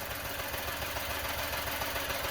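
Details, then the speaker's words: Car idling lumpy and uneven with a rough pulsing beat and fuel smell; thermal imager shows a hot spot on number one, diagnosed as a number one cylinder misfire. "it sounds like a misfire it smells of fuel so I'm guessing a misfire"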